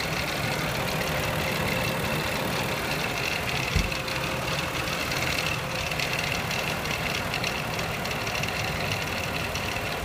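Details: 2006 Mazda 6S V6, 136,800 miles, warm idle under 1,500 rpm after valve cover and timing cover gasket replacement: fast, dry metallic rattle over the engine note, attributed to the front timing chain; owner suspects the belt tensioner.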